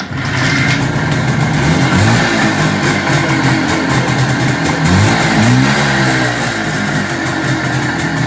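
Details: 1973 IZH Jupiter 3 350cc two-stroke motorcycle with 6-volt system, revived after years unused with points set, carb done and wiring repaired: crisp beat rising and falling cleanly on throttle blips, no knocks or misses; healthy idle and revving.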